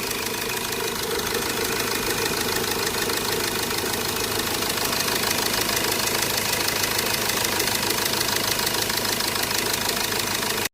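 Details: Hyundai Verna at idle: fast, even metallic rattle over the idle for the whole run. Loose timing chain suspected, not confirmed.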